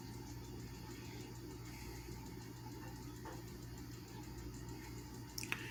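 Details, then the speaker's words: 1987 Patton CA-1284 12" rotary box fan after a clamp was tightened over the shaft to stop the blade slipping on it. A quiet, steady low hum with an even airy whoosh and no rattle or scrape; the racket is gone, though it is still slightly unbalanced. "and so I put this on and I tightened it up and this is what happened [Music] that racket is gone no noise at all"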